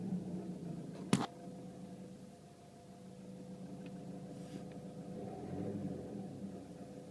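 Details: Renault Megane III 1.5 dCi 106 diesel at idle, recorded inside the cabin: thin constant whine over the idle, heard only inside the car; not the fuel pump, owner suspects turbo; cause unconfirmed.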